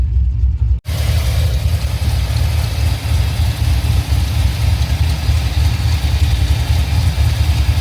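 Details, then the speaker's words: 2005 Chevrolet Silverado 6.0 V8 with Madd Maxx 110 LSA cam, long tubes, base tune: lumpy uneven idle, cylinder one dead, no spark on inline tester; fixed with new plugs and coils plus misfire timing adjustment. Dead cylinder misfire at idle. "Definitely not firing. So, we got one dead hole."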